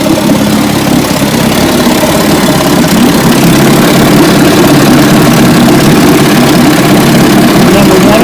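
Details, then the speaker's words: 1957 Johnson 18 hp outboard after restoration, running in a test barrel: steady, even two-stroke buzz at constant speed with no stumbles or misfires; passed the barrel test, normal running. "1957 18 horsepower johnson passed the barrel test now we're going to bring in to buy you tomorrow"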